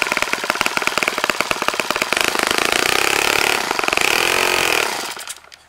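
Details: Saito FA-65 model four-stroke glow engine, first run after rebuild, APC 12x6 prop, Morgan's Omega 10% fuel, Fox Miracle plug: crisp rapid popping builds to smooth high buzz at full throttle, winds down and stops cleanly; normal running.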